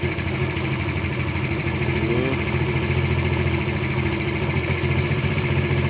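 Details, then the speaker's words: 110cc engine after carburetor setting, screw opened to 2.5: low smooth constant idle holding speed without hunting or dipping; carb set right, idle maintained. "Kita dengar dulu. Dah maintain kan. Ni aku buka sampai 2.5 je. Dah maintain."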